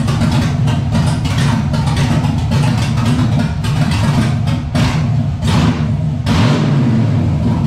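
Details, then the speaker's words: Nissan 300ZX with C5 Corvette LS1 V8 swap, cammed, T56 manual, Holley Terminator EFI, first start: deep even burble with a few light revs, no knocks or misses; freshly started engine running well. "she sings she hums she makes power pretty good power too"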